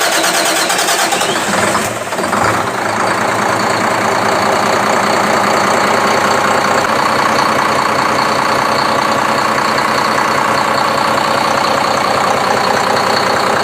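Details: Speedboat engine after hard-starting fix: cranks briefly, catches and settles into steady even idle without misfire or stumble; normal start and idle, previous long-cranking problem solved.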